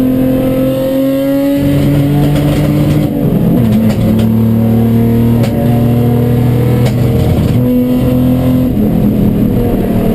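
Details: Chumpcar on track at Watkins Glen, problem starting midday Saturday: loud engine under load whose note stumbles and cuts out in irregular dips every second or so; misfire.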